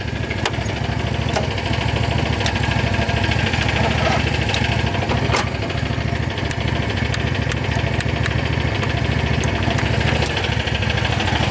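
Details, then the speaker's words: John Deere GT225 lawn tractor, warm engine, being charged from a Landmaster: steady rhythmic cranking with occasional sharp clicks but never fires; owner says it starts right up cold but not warm, unsure if cables; battery voltage dips when cranking. "Never had a tractor hard start when it was warmed up. I'm telling you, that thing fires right up when it's cold, but just not when it's warm"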